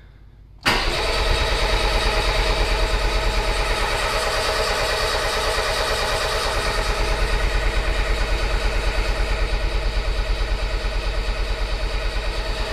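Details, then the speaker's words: Starter cranks steadily at about three pulses a second for over ten seconds without starting: freshly rebuilt Peugeot 205 engine, first start, carburetor unadjusted, ignition timing set by guess; a backfire in the carburetor, and the owner suspects wrong firing order. "on a eu quelque chose mais une explosion dans le carburateur que je les ai vus là-bas c'est peut-être un ordre d'allumage qui m'a demi doit"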